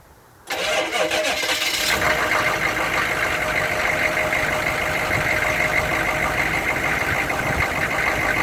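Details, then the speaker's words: 1994 Chevy C3500 HD 6.5 turbo diesel with code 36 hard-start issue, reference start: catches almost instantly with no long crank, then settles into an even, steady idle; the ideal start for this truck. "now that's more ideal that's what I like to see out of the 94"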